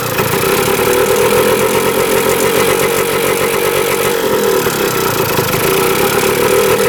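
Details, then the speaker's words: 1977 Kawasaki KE100 two-stroke enduro, first start in over 10 years, won't run without choke: raspy steady high buzz never settling to idle; air screw turned in one turn, owner suspects gas cap not venting. "Heat doesn't want to run without the choke. Doesn't say idling. Let's try to get this thing to idle."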